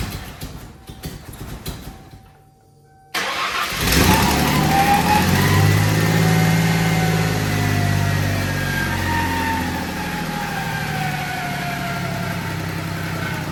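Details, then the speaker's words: Mustang, first start after fitting a water pump pulley, no coolant: cranks, catches, then uneven, lopsided idle like a missing cylinder; misfiring, around 3500 rpm, good oil pressure. "She's She's missing at I want to say like 3500 RPM."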